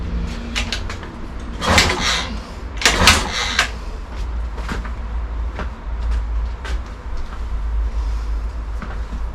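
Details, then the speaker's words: Honda Stream scooter after full rebuild, kick-started on the stand with starting fluid in the carburetor: two short ragged firing bursts that die out at once; fuel present, won't keep running, cause unknown. "so the bike actually started it didn't run for long just on start your bastard but it does show that things are working"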